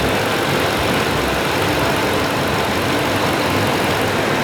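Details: 2012 Tundra after PCV valve replacement catches and settles into a smooth, even idle with no ticks, knocks or misses. Sounds healthy.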